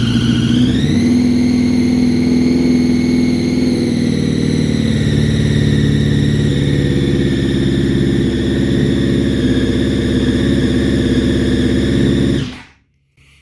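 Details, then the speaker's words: 2005 Honda CBR1000RR after rebuild, at idle: a high steady whistle rides above the engine note and worsens when riding; traced to the balancer shaft set too tight against the crank, not an air leak. "So that whistle gets worse as you drive away and as the bike is going. I thought it was sucking air from somewhere. Turns out that it's a balancing shaft."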